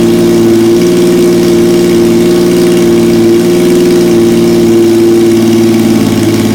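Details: 1977 Yamaha XS750 four-cylinder, first start after 30 years unused, with rebuilt carbs, velocity stacks, new throttle cable, fresh oil, filter, plugs and resistors, fed from an auxiliary fuel tank: steady mid-pitched hum with small rev swells, no knocks or misses; running cleanly.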